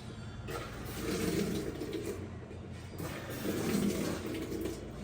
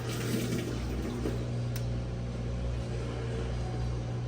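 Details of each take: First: GE GUD27ESSM1WW stack washer on Speed Wash cycle, which fails to start on Heavy: water rushes in two strong spurts, then a quieter steady trickle with light clicks; normal fill, suspected user interface or encoder switch fault. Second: GE GUD27ESSM1WW stacked washer on Heavy cycle: water fills with low motor hum, then stops after short fill and cycle quits, while Speed Wash works; suspected encoder switches or user interface; cycle starts then stops.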